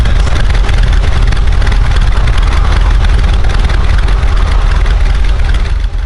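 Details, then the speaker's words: Miata with forged engine on an early road tune, cruising at about 14 AFR before refuelling with E85; deep, steady engine drone with an even beat and no knocks or misses, sounds healthy. "sounds pretty good dude i wish you would rev it that thing's pretty badass dude"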